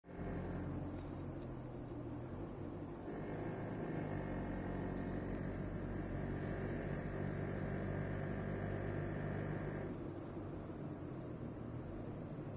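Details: 2016 Toyota Prado VX: a faint buzzy rattle rides on a steady engine drone only under acceleration and stops as soon as the foot lifts; the owner feels something is loose under the hood, and it barely appeared at the Toyota dealer.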